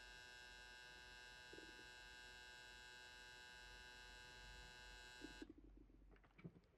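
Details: Fujifilm GF 100-200mm lens: steady thin electrical buzz when the camera is switched off or enters playback, cutting off abruptly, then handling clicks; occurs on three GFX bodies, persisted after Fujifilm repair.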